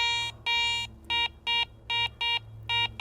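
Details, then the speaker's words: Garrett ACE 400 metal detector (10 kHz): eight short, bright identical beeps, a clean high bell tone for target ID 75 or higher, here a silver coin. "Finally, for high tone, anything reading 75 or higher on your target ID, I've got a silver coin here. There's your high tone or your bell tone."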